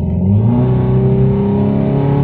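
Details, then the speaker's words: 2013 VW Jetta at 80,000 miles climbing a hill under load, running rough on three cylinders: the engine protection system cut cylinder 1's fuel injector because it was misfiring. "running on three cylinders right now due to an engine protection system cut off of cylinder 1 why did it cut off cylinder 1 well because it was misfiring"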